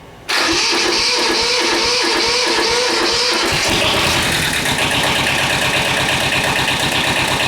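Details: Kubota L-series two-cylinder diesel tractor after repairing internal oil leak causing low oil pressure (camshaft aluminum plugs, per TSB), glow plugs used, old oil still in; short crank then steady lumpy idle, no knocks or rattles; normal start-up.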